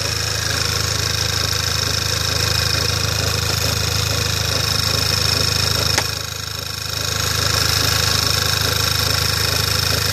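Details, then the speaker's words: Skoda Octavia A5 at idle, in the engine bay: a thin, high-pitched rubbing chirp that drops out and returns, starting about a minute after start-up. The engine runs evenly and performance is unaffected; the cause is unknown. "Был слышно не был такой звук как что-то трёт кык кык кык кык что-то в этом роде"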